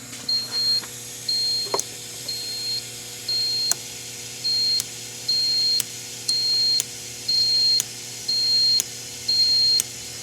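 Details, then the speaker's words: 2003 VW Passat 1.8 turbo with a P0011 code, key on, actuator test through the car harness with a test light on the VVT solenoid circuit: crisp, even beeps about once a second; the ECU is switching the circuit with enough amperage. "so the computer is working. I have enough amperage to make everything work."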